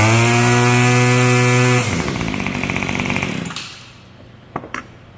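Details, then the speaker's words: Yard Machines Y2510 25cc two-stroke trimmer after repair and new air filter: previously wouldn't start, now starts first pull, buzzing at steady high pitch then winding down; healthy. "Now, just a minute ago, wouldn't even think about starting. Now, starts on the first pull."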